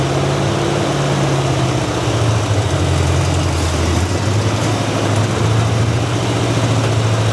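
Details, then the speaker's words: Squarebody Chevy C10 V8 revived after 21 years in storage: steady, even low rumble at a slightly fast idle with every cylinder firing smoothly. Healthy, with the idle set a touch high. "It the idle's a taste high. I think that little port runs down into the fuel bowl, which is why we got the length of time we did, right?"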